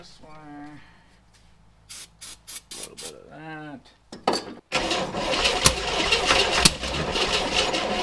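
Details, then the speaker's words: 1962 Chevrolet Corvair off the road 30+ years, new oil filter, plug wires shifted one position counterclockwise for more advance, gas poured down the carb: starter turns it about four beats a second, chuffing without catching; long crank, no start. "So, anyways, let's get that new oil filter on there, check the oil level, throw a little gas back down the throat of it and crank it."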